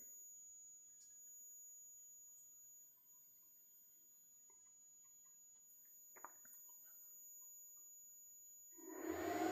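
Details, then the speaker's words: Smaller of two large homemade Joule-Thief-style coils charging a 63-volt capacitor: thin, steady, high-pitched ring over a quiet background; it charges faster and current drops as it quietens, then the ringing stops when the coil is full. Normal coil ringing while charging. "Seems to start to charge faster here too as it gets quieter. current goes down."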